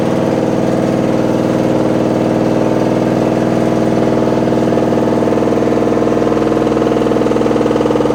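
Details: Washing machine with loud rumbling during the wash: a steady motor hum with a regular pulsing rumble about four times a second, like a load of bricks inside; cause unclear.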